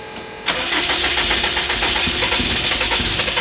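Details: 800 hp Subaru STI boxer engine after breakdown, clutch down, throttle floored: steady fast starter cranking that never catches; cranks but won't fire, starter getting hot; cause suspected, not confirmed.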